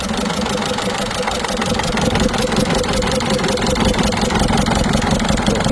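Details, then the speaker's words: Peugeot 207 HDi 16V diesel, 545,000 km, at idle after fuel purge: uneven lumpy clatter with a stumbling beat and hiss-like ticking on top, struggling to run properly; mechanic suspects an injector seal noise, unconfirmed. "Je crois que j'ai l'impression qu'il y a un bruit de joint d'injecteur. Voilà, donc en fait il a beaucoup de mal à tourner correctement."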